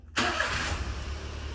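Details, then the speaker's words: Three-cylinder mini truck started after new fuel and cleaning, with mechanical fuel pump feeding through the filter: catches quickly and settles into an even, steady idle with no misses or knocks; best run in a while, normal start. "oh sounds pretty good oh that's the bestest run in a while"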